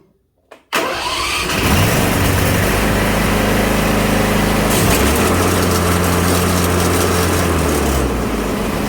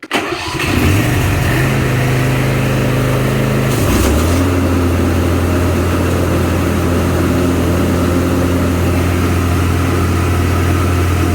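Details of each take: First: Craftsman Z530 zero-turn, blades sounding rough on engagement: engine starts, then loud rough rumble and grinding roar, deck vibrating badly and idler arm jumping; worn deck spindle bearings and idler pulleys. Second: Craftsman Z530 zero-turn after deck repair: engine starts and revs, blades engage with smooth steady drone, no squeal, grinding or rattle; normal mower deck running.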